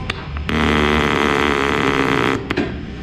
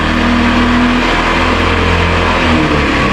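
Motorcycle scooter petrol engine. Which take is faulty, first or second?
first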